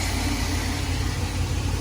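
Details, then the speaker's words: 2001 Chevy Express van, 4.3 V6, after spider injector, ignition coil and distributor replacement: steady, even, low idle drone with no misses or shaking, smooth throttle response, service engine light off; normal idle, cold start not yet tested. "when you barely touch the gas should be just a smooth transition like that no shaking smooth great spot a lot of response"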